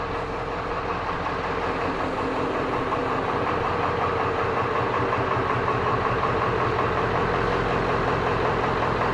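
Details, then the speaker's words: 1996 Ford F350 7.3 Powerstroke diesel plow truck after replacing a single bad glow plug: even diesel clatter at steady idle, regular beat, no misses or stumbles; normal idle, now fixed. "There you go, guys. It's started. It's running. It is fixed."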